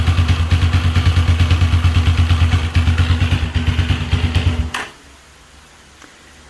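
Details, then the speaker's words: Single-cylinder motorcycle idling with rough dragging rattle from the engine; traced to the camshaft, badly worn camshaft drive sprocket (starter bendix bearings also considered). "quería compartirles ese extraño ruido que ustedes escucharon a la introducción del vídeo es procedente del árbol de levas"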